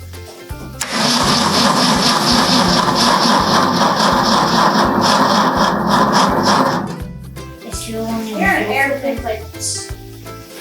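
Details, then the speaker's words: Truck build first start attempt, clutch down: starter churns steadily about two beats a second, engine never catches; fuel line and tank were empty, so crank no start from fuel starvation. "so what we have going on is that whole fuel line was empty and that tank was all the way empty and so we felt we put fuel in the tank"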